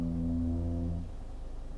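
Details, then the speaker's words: Genesis GV70 SUV creeping slowly in traffic while braking: a deep hollow moan like a gong for about a second, then fading. Brake groan at low speed. "The brakes are quite noisy when you're just creeping along at slow speeds."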